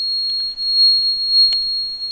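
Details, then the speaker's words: Car running on gas (LPG/CNG) with gas injector 3 disconnected: gas switch gives a steady high-pitched beep, diagnostics show injector 3 open load and system switching to petrol; buzzer alarm for injector open-load fault. "now you hear that uh switch is uh playing this sound and U as you see here gas injector 3 is in open load"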